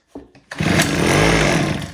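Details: Homelite H17 gas hedge trimmer, spark plug refitted and starting fluid sprayed in: a couple of starter pulls, then the engine catches and revs about a second before fading; fuel delivery fault from a shattered primer bulb.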